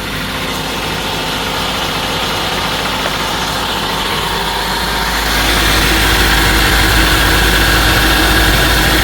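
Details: Steady, even idle with a smooth hum and no knocks or squeals after motor mounts and belt were redone, on an engine with about 237,000–238,000 miles; the earlier noise is gone and the engine sounds healthy.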